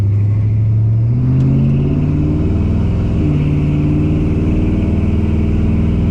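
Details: TH350 automatic transmission after governor gear and filter replacement and fluid top-up: engine revs climb then drop cleanly at each upshift, firm and prompt with no slipping or flare; all three gears shifting normally.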